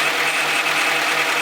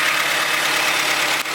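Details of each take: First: Honda CRV at idle after timing belt replacement, power steering fluid having leaked out when the top line was removed: steady high whine over a faint idle, not from the engine; owner suspects a bad pulley or empty power steering. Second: Honda CRV idling after a timing belt repair, power steering reservoir just refilled: smooth, even hum with no pump whine or groan. The pump's earlier noise came from running empty; power steering now normal.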